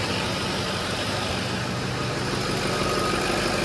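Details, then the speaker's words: Dually diesel truck after cab-down work, fuel system bled, stock tuning: steady even diesel clatter at settled idle with no misses or knocks; running smoothly with slight haze. "it's quiet 128 now 129 let's shut off the Chargers we're good vendors are done as of right now the truck's running"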